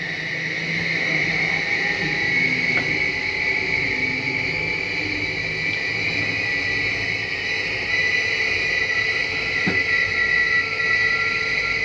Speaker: You hear that little grinding noise at the end? It's not actual grinding. That's the slide mechanism just telling itself, don't go in any further.